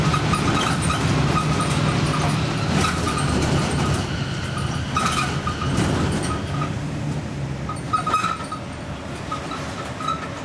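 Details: Stagecoach Fife Volvo B10M Alexander PS-type bus 20335 (R335 HFS) on route 39, Kirkcaldy to Glenrothes, 2012: engine and road rumble under a thin, wavering high squeal around 1 kHz that comes and goes; unexplained screech while driving.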